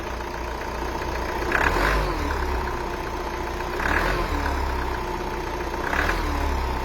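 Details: Cold start on a 2.0 dCi diesel: engine blipped three times from idle, a rough clattery note swelling on each rev; abnormal cold-start noise when revving, cause unclear.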